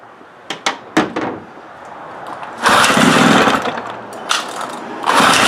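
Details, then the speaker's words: 1975 Johnson 15hp long-shaft outboard, fuel dribbled on carburetor, run without water: a few handling clicks, then catches in rough bursts about three seconds before dying; brief run on primed fuel. "i'm going to dribble a little bit of fuel on the carb and see if it'll fire"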